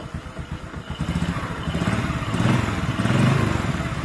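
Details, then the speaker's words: 125cc Honda-type motorcycle (Supra X/Karisma block) with a cold-engine piston-slap-like tapping, fixed by fitting a 125 piston: on a cold start it settles into an even, thumping idle with no tapping left; engine sounds healthy after repair. "Oke, ini mesin dingin ya. [Musik] Lihat, Guys, suara tak-taknya hilang ya,"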